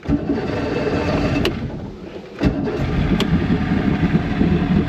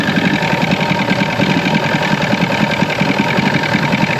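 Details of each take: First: 1996 Force 120hp outboard after water pump replacement, hood on: it fires up and runs unevenly, the beat wandering rather than settling; a carburettor job was quoted, so a carb issue is suspected, not confirmed. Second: 1996 Force 120hp two-stroke outboard after water pump replacement, started in warm-up position; choppy but steady idle at about three to four pulses a second, settling as it warms, running normally.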